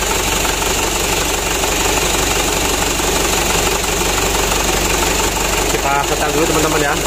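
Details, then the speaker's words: Mitsubishi Canter truck diesel engine idling after plunger replacement to cure hard starting; loud, steady, even clatter with no misses or surging, now running fairly well, mechanic still to adjust to reduce engine shake. Normal idle. "Ya udah hidupnya sudah lumayan bagus"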